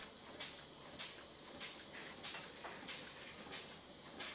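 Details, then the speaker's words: Stuart 5A model steam engine (2¼-inch cylinder) fed by a small gas-fired Stuart 504 test boiler, pressure dropping below about 20 psi: even chuffs with loud hiss; opening the cylinder drains clears wet saturated steam water causing partial hydraulic-lock knocking. "the knocking stops because the water that's been pushed into the steam chest from the boiler is very saturated and wet so at each end of the piston is a pool of water and that's what the knocking is"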